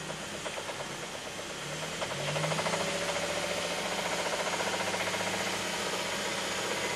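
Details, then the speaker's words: 2006 Mazda 3, 2.3 L engine, Steelman listening tool microphone at the bottom of the engine: a deep knock four times per 720° at idle, louder near 2500 rpm, coming from the bottom, not the top; a rod knock. "at the idle actually um we can clearly see we have four four knocks taking place and it's coming from the bottom"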